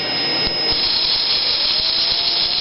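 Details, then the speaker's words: Axial XR10 rock crawler stock front axle with ceramic flange bearings spinning: high steady whine with faint rattle, much louder; gears have too much room, probably a failed bearing. "by the sound of it that's the sound of gears having way too much room and that's probably because one of the bearings is gone hear how much louder that is than this"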